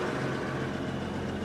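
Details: Case International 2055 cotton picker with 8.3 Cummins diesel, started after long storage with fuel lines retightened: low, even rumble at idle with steady firing and no misses or knocks; normal idle.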